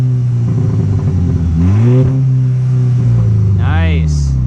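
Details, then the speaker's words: VW MK6 GTI after ignition coil replacement with R8 red top coils, started in neutral: catches into an even idle, then a quick rev climbs and drops back cleanly; smooth running, no misfire. "All right, after any good replacement of parts, you always want to check your work. So we're going to start her up."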